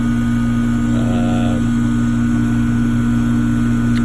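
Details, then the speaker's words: 2006 Trane R-22 electric heat pump package unit on a no-heat call, running in heat mode: steady even compressor and fan hum, no knocks or rattles. Strip heat drawing almost 40 A, pressures good; running normally. "I've turned it on everything's working the compressor comes on it's an older 2006 model r22"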